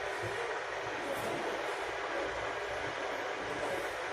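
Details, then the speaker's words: Burko safety water boiler being tested with water after a detached part at the bottom was put back in place: even rushing hiss with faint rise and fall as water warms, no crackle or buzz; heating normally. "Guys, now it's making some sound. I don't know if you can hear it. Yeah, hopefully it will work."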